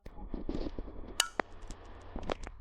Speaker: on entend un clic qui signale l'activation du thermostat.